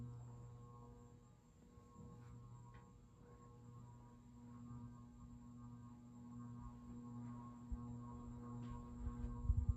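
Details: Craftmade CXL ceiling fan in a condo makes a loud, steady electrical hum, very noisy when the knob is turned down, because it is run on a dimmer-type three-speed control; only high and low seem to work.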